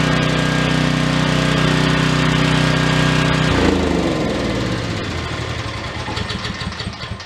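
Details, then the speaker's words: Troy-Bilt generator stored unused for over 10 years, running after revival: steady, even engine drone with constant hum, then clean shutdown and spin-down; runs smoothly and powered an air compressor. "Okay, that was loud. Guess what? What? We have power. Plugged in my air compressor to see if it would power it, and it does."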